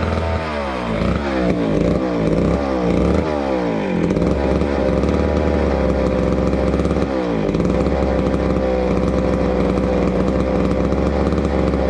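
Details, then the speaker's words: Old McCulloch Super 250 two-stroke chainsaw revived after neglect, running with air filter cover off: a few quick snarling revs, then a steady, even drone with no stumbling or misfire; normal running. "as you saw with the 250 we got it up and running really nicely it it purred along and um seemed to run fairly well cleaned up pretty well and I was pretty happy with it"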